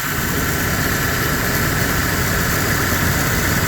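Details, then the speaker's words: GMC Sonoma after replacing a bad pulley at the bottom of the belt drive (owner first suspected water pump, then clutch fan); steady, even idle with no chirp, squeal or rattle from the belt area; normal idle. "it sounds like brand new with 209 34 dollar part"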